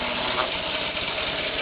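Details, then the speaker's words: EV motorcycle conversion motor on a 12 V car battery at unregulated speed, free rear wheel spinning with slack chain; loud steady whirring hiss with a rough mechanical rattle, little torque at 12 volts but running fine and cool. "Not a whole lot of torque at 12 volts. Well, basic torque at 12 volts anyway."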